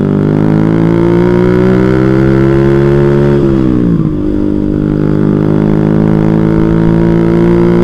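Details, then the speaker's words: Small carbureted motorcycle under hard acceleration at high rpm, faltering and dipping before picking up. The carburetor was cleaned the night before and repeatedly, and was found not dirty. Owner now suspects the electrical system. "ya kan masih brebet guys bagian kelistrikan"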